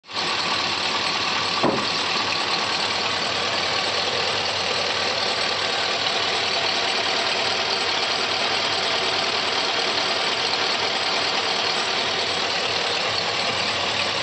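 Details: 2004 Chevrolet Silverado 6.0 V8 at steady idle with a light, fast ticking from the valvetrain at the top of the engine. The noise persists after the lifters were replaced; cause unknown.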